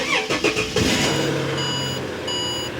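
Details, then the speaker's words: BA Ford Falcon XR6, cold start after a new fuel pump (it ran worst cold before): a few quick cranking pulses, catches within a second, smooth even idle with dash chimes; clean cold start, fault confirmed fixed. "the real test though is the cold start because it always ran at its worst when it was cold before we made all these changes so if it runs fine now then we've pretty much confirmed that it's"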